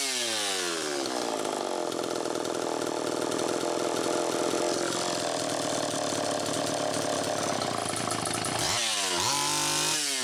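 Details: Homelite Super EZ chainsaw after the carburetor was fixed and the high needle reset from about four turns out to one; holds a thin screaming pitch, drops and surges unevenly, tuning changing as it warmed up, lean. Crank seal air leak suspected, likely flywheel side.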